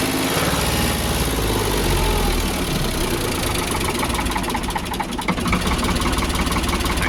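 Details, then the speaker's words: Ford 4600 tractor diesel after fitting new injection pump: slow, heavy loping idle, too low; idle screw then wound in to about 700 rpm. "Ticking over a bit too slow, isn't it?"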